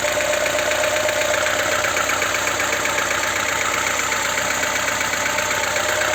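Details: VAZ 2107 (Lada) engine at idle with a sharp, fairly regular tapping about four times a second over the engine; engine knock, cause unknown.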